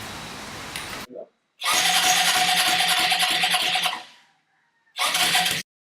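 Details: Hammerhead 250 SS go-kart single after fitting homemade custom exhaust pipe: catches and runs with crisp, even buzz, shuts off and blips again briefly; healthy, exhaust fit a success.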